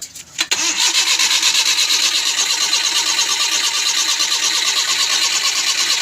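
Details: Suzuki Scrum F6A 12V crank, no start: fast, even starter cranking that never fires or catches, despite new distributor, CDI, cap and high-tension wire; no spark, traced to a faulty distributor rotor.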